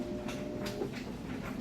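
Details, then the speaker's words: Maytag Bravos super-capacity top-load washer in its wash cycle; steady low hum with soft, even swishing agitator strokes about every half second, no knocks or grinding; it sounds good, a normal wash cycle. "it's got a real good sound to it."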